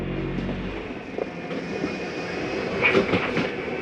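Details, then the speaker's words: 2019 Grand Design Reflection 315RLTS travel trailer, slide-out retracting: motor drone then irregular ratcheting chatter as the slide reaches full in, the mechanism stopping itself, not grinding gears; normal end-of-travel clutch noise. "Now as the slide gets all the way in, you'll hear a little noise. It's okay to hear that. Nothing's grinding. That's the slide mechanism telling itself not to come in any further."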